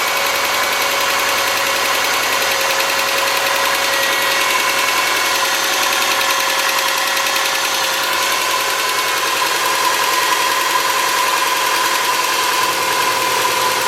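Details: 2003 Subaru Forester boxer, 178k miles, ~150 miles after head repair for a dropped valve guide, cold start idle. A light, fast tick from the driver-side front cylinder: exhaust valve clearance .029 instead of about .010. Adjusting the clearance removed the noise.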